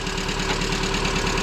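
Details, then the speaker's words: Lada Priora VAZ 2170, warm petrol engine with a previous overhaul, owner plans new pistons: a quick, even, hollow rattling knock at idle on every turn, typical of 124/126-series engines; piston slap. "когда покупаете машину 124 120 шестым моторами вот так говорят вот такой бряк стоит вот такой обряд"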